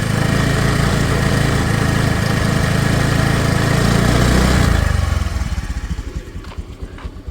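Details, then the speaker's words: 2018 Honda Dio scooter, 35,246 km, second owner: engine holds a smooth high rev then drops back cleanly to an even, steady idle with no stumble, miss or shaking at start; normal revving. "ഇപ്പൊ sound നോക്കുകയാണെങ്കിൽ വളരെ smooth ആയിട്ട് തന്നെ ഇരിക്കുന്നുണ്ട് പ്രത്യേകിച്ച് കുതിച്ചുചാട്ടം വിറക്കലും കാര്യങ്ങളും ഒന്നും സ്റ്റാർട്ട് ചെയ്തപ്പോൾ ഉണ്ടായില്ല"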